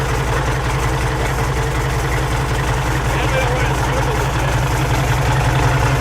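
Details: Peterbilt pulling truck "Business Expense", first start in neutral right after installing used custom-built 3406E-type injectors: deep, steady diesel idle with an even low rumble, no misses or knocks; big engine running healthy.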